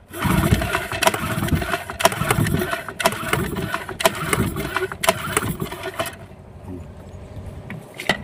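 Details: Yamaha 15 hp two-stroke outboard, first pull start after a repair for hard starting and no power caused by stuck piston rings and a clogged, narrowed exhaust: catches quickly and settles into an even run with light ticking; normal start.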